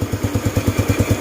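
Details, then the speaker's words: Yamaha Mio Sporty scooter after fixing loose airbox-to-filter hose, cleaning it, new carburetor needle set at second groove: small single idles with steady, even putt about nine beats a second, no longer flooding or hiccupping; mostly fixed. "Kahit papaano hindi na siya lunod o sinok."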